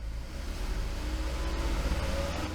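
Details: 2015 Ford Flex during an electrical system test after a battery swap, engine held near 2500 rpm: steady even low hum without knocks or surging. Healthy, charging 14.57 V with low ripple.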